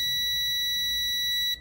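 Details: Multimeter continuity check on the injector control wire between the ECM connector and the cylinder-four injector, on a car with a P0304 misfire and new plugs: a steady, high beep for about 1.5 seconds confirms continuity.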